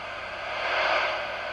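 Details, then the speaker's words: Johnny 2SC CB radio on channel 20 after microphone cable and cigarette-lighter plug replaced: steady speaker hiss with a faint signal swelling underneath, no crackle or dropouts; receiver sensitivity working. Normal receiver hiss. "w tej chwili mamy 20 kanał głośnik szumi czułość odbiornika działa widać i słychać radio odbiera jakiś sygnał"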